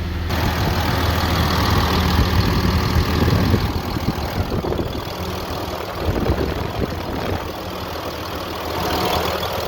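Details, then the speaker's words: Ram pickup 6.7L Cummins diesel at idle, coolant 143°F: steady whooshing fan roar over diesel clatter because the fan clutch is locked up, fan spinning about 1,000 rpm, faster than the engine, sounding like an electric fan. "obviously at idle you can hear that fan. Sounds a lot like an electric fan on other engines when they come on."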